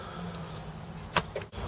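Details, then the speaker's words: Commodore Amiga 500 after repair of its third-party Zydec PSU (DSP-A500), floppy drive empty: a sharp mechanical click, then a softer one, over a low steady hum as the drive polls normally; 12 V present. "this is uh maybe it's cuz it's not got disc in let me try and disc in this you can hear it clicking away though so 12 Vols is there 5 Vols is"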